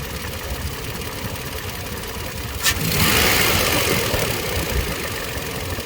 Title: weird noise when trying to throttle